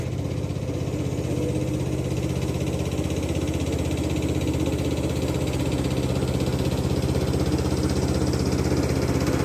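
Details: Free Craftsman LT2000 lawn tractor, parked about 6-8 years, after cleaning solenoid and ignition switch connections: single-cylinder idling with steady, even thumping about four beats a second, no misses or knocks; normal idle.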